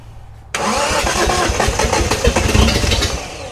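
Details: Restored Datsun Z, first start attempts after restoration: engine fires after short crank, runs lumpy and uneven for a few seconds before settling; rough start, cause not confirmed.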